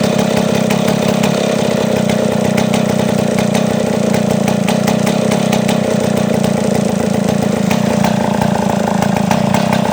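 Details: Chainsaw whose idle was too high due to a clogged carburetor passage, after cleaning and before idle adjustment: steady, even buzzing idle at one speed without surging or hunting, idle now lower; healthy.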